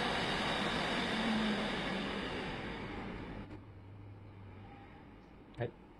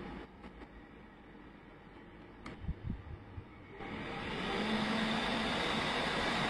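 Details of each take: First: Home-built PC (i7-3770, 16 GB RAM, RX 470 4 GB) after a speed controller was added to a loud case fan: airy rush settles to a soft even hum with no rattle or buzz; only the power-supply fan is heard now. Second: PC case fan (i7-3770 build) at its initial full speed before a fan speed controller turns it down: quiet at first, then a steady rushing whoosh with a low hum swells and holds, very loud.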